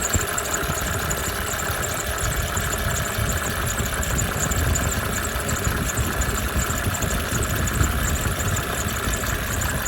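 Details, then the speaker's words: 1987 Mercedes 300 SDL OM603 diesel, newly fitted remanufactured alternator: steady thin high-pitched squeal/chirp over even idle clatter, not present before; alternator bearing squeal. "I just changed the alternator. It had no charge, so I had a remanufactured one here in inventory and it squeals like a son of a gun, as you can hear in a moment."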